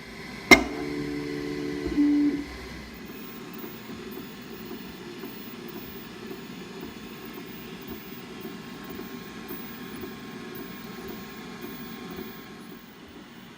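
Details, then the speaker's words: Markforged Onyx Pro 3D printer running bed-level and nozzle-alignment test print after setup: one sharp click, then quiet, soft, even stepper whir and head moves; printing normally. "but it is printing out the test print to check the bed level and the nozzle alignment."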